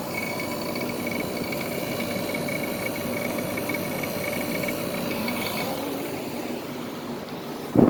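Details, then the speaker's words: SoleusAir ductless heat pump outdoor unit starting up in cool mode, suction line cold: even compressor hum with faint high tone and steady fan rush; compressor sounds good, working normally despite an unidentified rattle. "Compressor sound. Sounds good. I don't know what that rattling is, but it's working."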